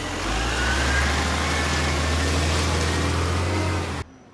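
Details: Garbage truck 711 diesel at idle: deep steady idle with a loud raspy hiss on top, then cut off; a major exhaust leak.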